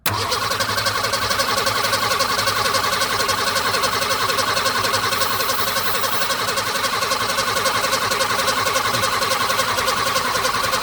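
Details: Ford Falcon after sitting, gas added: starter spins the engine with an even whirring beat near four compressions a second but it never fires; cranks without starting, owner suspects bad fuel delivery, plans fresh fuel tank.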